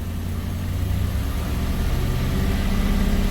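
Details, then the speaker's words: Truck 5.3L LS swap with the transmission solenoid power wire deliberately cut, started on the lift with the check engine light on: the revs climb and keep droning higher with no drop for a shift; the auto is locked in third gear. "but it doesn't shift so it's essentially locked in third gear"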